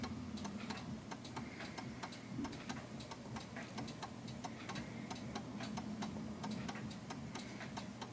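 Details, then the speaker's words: 1930s Enfield 8-day striking oak mantel clock ticking unevenly at about ninety beats a minute, more tick than tock; pendulum out of beat and about to stop. "So it feels like it's a little bit off balance, and I'm expecting it to stop any second."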